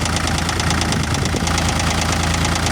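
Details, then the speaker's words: Cat CB24B diesel after a no-start caused by the starter plug coming loose, probably from vibration; with the plug refitted it idles normally with steady, regular, unbroken diesel clatter. "Ve marş yapacağız şimdi. Ve makinamız çalıştı."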